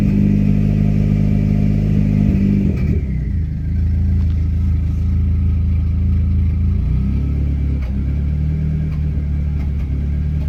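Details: Dodge SRT-4 under slight load: uneven, stumbling beat with irregular drops in the exhaust note, a misfire that can be felt, heard and seen; car runs without a catalytic converter yet sets a catalyst-inefficiency code.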